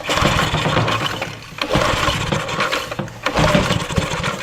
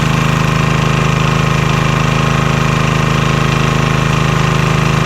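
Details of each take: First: Vintage Homelite generator, probably late 1970s, unused about 30 years, first start attempt with choke: sputtering bursts that catch briefly then die; won't keep running on its own, cause not confirmed. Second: Vintage Homelite generator, probably late 1970s, unused about 30 years, restarted with little work: steady single-cylinder putter at constant speed, quiet, no knocks or misses; normal running.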